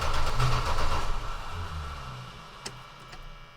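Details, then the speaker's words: Steady starter churning about four turns a second with no firing, then winding down: cranks but won't start. Owner suspects bad gas, tank not pumped out. Cause unconfirmed. "Probably has bad gas."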